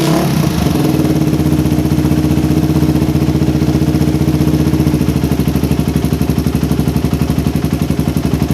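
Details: Suzuki Satria FU, standard daily bike, fitted with new PE 28 carburetor: single-cylinder thumping rising and easing with throttle, then a slightly uneven, hunting idle. Air screw set for highest RPM at one turn; idle still slightly unstable.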